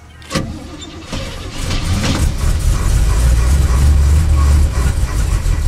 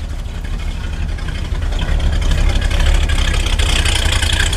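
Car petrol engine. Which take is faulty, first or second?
first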